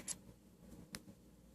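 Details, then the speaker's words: Porsche 964 that won't start, key at accessory: faint sharp pops about once a second from the ignition coil while swapping coil 1/2 and controller 1/2 combinations; cause unknown. "it's popping now this is coil 2 controller 1. and it's still popping controller one in coil one it's popping"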